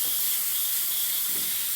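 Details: Model airbrush with compressor cycling around 20–30 psi: only a steady, even airy hiss, air flows but no paint comes out; cause unknown; airbrush sprays air but no paint.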